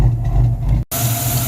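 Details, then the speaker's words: 1994 Ford Mustang GT convertible V8 recorded at the exhaust, after a popped-off PCV valve was refitted: a fairly smooth idle with slightly uneven, stumbling pulses that still sounds like a misfire. "Still sounds like it has a miss back here at the exhaust."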